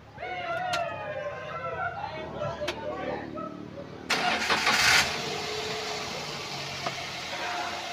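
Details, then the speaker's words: 2018 Daihatsu Gran Max pickup 1.5: cranks briefly, catches cleanly into a smooth, quiet idle with no metallic piston knock or roughness; engine sounds healthy. "kita udah starter kondisi mesin stasioner suaranya normal suaranya aman enggak kasar gak ada suara ciri-ciri metal kena seher"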